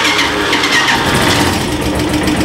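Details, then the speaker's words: Italika DM-200 motorcycle after valve-lash (tappet) adjustment: steady, even idle with no light ticking on top; the tappet noise is gone and valve clearance is now correctly set. "si en efecto ya no se escuchan las banderías otra vez vamos a explicar qué es lo que sucede sí ya escuché puro motorcillo"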